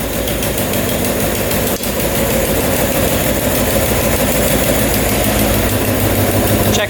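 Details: Suzuki Quadzilla quad with swapped KZ 750 engine, after refitting a coil wire that had pulled out and sparked: steady, even idle with a firm beat and no stumbling or missing; now runs smoothly and healthy.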